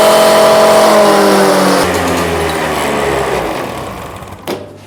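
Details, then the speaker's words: Honda Lead AF20 scooter two-stroke, first start after full engine rebuild, warmed so auto-choke closes, idle raised and mixture screw set about one turn: high buzzy revs fall smoothly back to a steady idle; normal revving and idle. "Будемо потрошки газувати. Зараз трошки піднімемо холостий хід і налаштуємо якість суміші на один обер один оберт."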